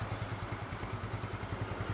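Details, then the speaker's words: 2010 Yamaha Mio scooter, 10-year-old engine, after first teardown, with plug and intake bolt threads re-tapped and plug and filter cleaned: even quick putter with no misses or stumbles, solid exhaust with no leaks; healthy idle. "Suara knalpotnya tuh masih mantep gitu, nggak ada bocor-bocor, itu nggak ada. Bener-bener masih mantep suaranya."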